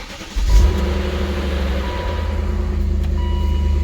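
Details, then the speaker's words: 2000 BMW E39 M5 cold start: rough catch then steady low idle with faint light rattle from the timing chain on initial startup, then super smooth; timing chain rattle on cold start. "So here's a cold start. It's a little rough. You hear a little bit of timing chain, but this is the cold start."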